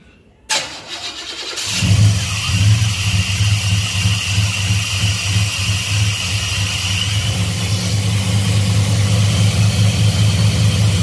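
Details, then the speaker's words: Black Pearl pickup after a TBI throttle body rebuild, first start with about 10 psi fuel pressure: it cranks briefly, catches, then settles into an uneven, loping, lumpy idle. Choppy because the MAP sensor vacuum line was disconnected. "when you just turn the key on the reason it was so choppy when i started it up last night was didn't have the map sensor vac"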